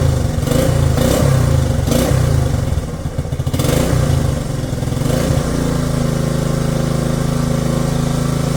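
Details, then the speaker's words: 1967 Honda CT-90, about 2,700 miles, aftermarket carburetor, in neutral, just started after a couple of kicks: a few throttle blips, then a low, even putter that holds steady; healthy idle, though throttle is sticky. "Look at that. Purring like a kitten. Gotta love it. Wow, that was only a couple of kicks too, not bad. Looks like it's running really good."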